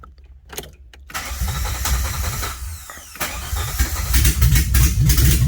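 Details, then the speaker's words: 1981 DeLorean after starter diagnostics, alternator wiring disconnected: a few quick cranks, then engine catches cleanly and settles into steady even idle; normal start, problem solved. "Got a bolt where the alternator wiring needs to go, nothing connected. Let's see if this thing will start."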